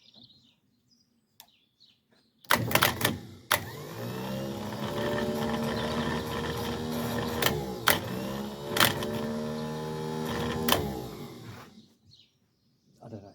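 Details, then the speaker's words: Bobcat T2556 telehandler that won't start, starter motor removed and bench-tested, also tried without the solenoid: about nine seconds of wavering, dragging whir with a few clunks; starter sounds sluggish, struggling, headed for rewinding and repair. "that sounds like it's struggling to me really does"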